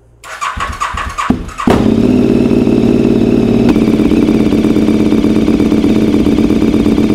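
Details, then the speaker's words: Comparison bike with louder exhaust, started and idling: even idle with no ticking from the timing side, unlike the 2003 KTM 950 Adventure with clicking timing noise; normal idle. "bon bien sûr j'ai des échappements beaucoup plus bruillants pour autant on nentend pas de bruit niveau distribution"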